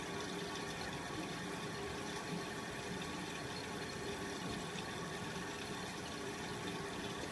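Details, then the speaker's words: Miele W562 Prestige Plus 6 washer on Cottons 60°C with Water Plus, second (added) rinse after brief anti-crease: steady rushing hiss of water filling the drum with faint inlet-valve hum, even and unbroken; normal rinse fill. "does a little like anti crease and then we fill"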